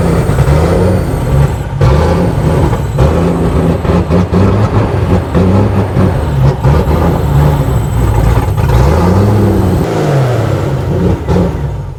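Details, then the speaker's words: Range Rover Classic V8, restarted after 7 years sitting, openings plugged by hand: revs cleanly when eased up but bogs and stumbles on snap throttle; owner suspects fuel pressure regulator. "When you rev slow, it revs good. Yeah. It's if you want to just bang it down, Yeah. it doesn't go, I don't know what to do."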